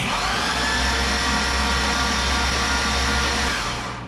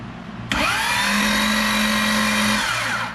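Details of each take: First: 2005 Chevy Corvette with built engine, headers and spark plugs removed, starter triggered by jumper at relay after starter replacement: fast steady whir with clean disengage clank, no grinding; engine turns over freely, normal. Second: 2005 Corvette with a built supercharged motor, starter jumpered directly and the engine turning over: a sudden high whine holds about two seconds, then winds down with no engage click; the starter pinion is possibly stuck out and not retracting.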